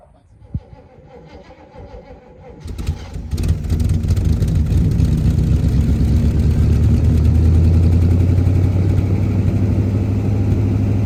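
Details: 1977 Holden HX Statesman Deville, 308 V8 with Turbo 400, sat about 20 years, fuel primed into manifold: cranks briefly, catches around three seconds, settles into steady even deep idle with no knocks or misses.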